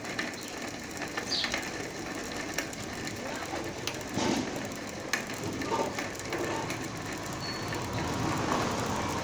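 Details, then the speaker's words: Bicycle on a stand with the wheel spun hard by hand: rapid uneven ticking and grating from the wheel hub, caused by a broken hub bearing, noise the rider heard while riding. "então é isso aí galera esse barulho e o que é esse barulho e rolamento quebrado eu vou mostrar pra vocês 100% de rolamento quebrados"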